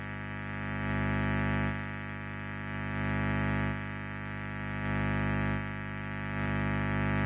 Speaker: seperti yang kalian semua dengar, kebisingannya memang sangat buruk, kan? Kabel mikrofon ini.